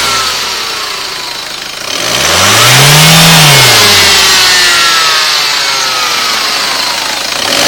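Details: Peugeot/Citroën HDi diesel, single rev: a whine rises and falls with engine speed over the diesel clatter. The car has no supercharger, and the cause is not identified.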